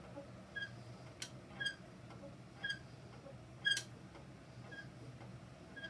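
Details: Peloton exercise bike with a short, high chirping squeak repeating about once a second in time with the pedaling: a recurring squeak.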